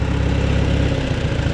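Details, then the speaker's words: 1949 Farmall Super A four-cylinder, timing untouched and one spark plug loose, throttled down to lowest idle; steady, very quiet, even lumpy idle with no misses or knocks, running fine. "let's see how par your idle down all right that's all the way there jeez can you hear it running I can bar barely hear it running"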